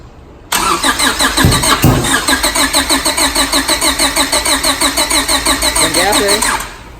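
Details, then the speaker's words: 1997 Honda Civic EK hatchback with H2B swap, first start after transmission rebuild, wiring, timing and reassembly: engine cranks, fires, then settles into an uneven, shaky idle pulsing about three beats a second; rough running after start. "Sao nghe gì lắc lắc lắc đây vậy?"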